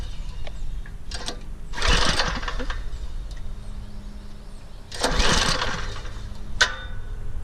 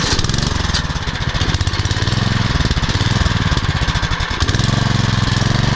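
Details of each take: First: Troy-Bilt Super Bronco rear-tine tiller, 208cc overhead-valve engine, on choke, sat unused with old gas: two recoil pulls whir the engine over with no firing; spark confirmed, no start from a clogged carburetor jet. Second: Troy-Bilt Super Bronco CRT rear-tine tiller, 208cc overhead-valve engine, after cleaning fully clogged carburetor jet, still burning old gas: single cylinder chugs at fast, steady pulse with even firing, no misses or knocks; running well.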